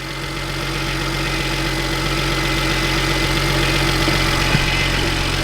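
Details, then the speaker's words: BMW 1M salvage-auction car after front-end repair with new radiator support, first time left to warm up; even, steady idle with smooth low rumble, no knocks or misses; healthy warm-up, watching for overheating. "the first time we're actually gonna let it warm up. So hopefully it warms up and no overheating issues or absolutely anything like that."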